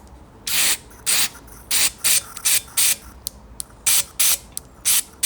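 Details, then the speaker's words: 2007 Honda CBR125R that sat outside two years and was not running. Its fuel injector is bench-tested with a 6-volt supply: each pulse clicks it open with a sharp hissing spray, so the injector opens normally. "you're clicking hear that that opens the injector and then you spray when you open it"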